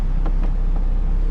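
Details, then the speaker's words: 1988–1991 Honda CRX Si after a new blower motor was installed, A/C on with engine idling: steady low hum with the fan running smoothly, no squeal or rattle, and the remaining vibration is normal; normal blower operation. "That vibration that you're hearing is normal on the vehicle."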